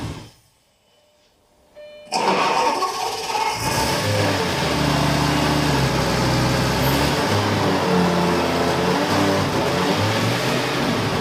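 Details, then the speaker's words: Burnt-out Lamborghini Gallardo LP520 under restoration, started on a booster after connector wire fixes and a new battery, settles into an uneven, lumpy idle; runs slightly better each start, no cylinder error codes, owner suspects throttle body needs calibration. "We've started the car several times now and it runs slightly better each time."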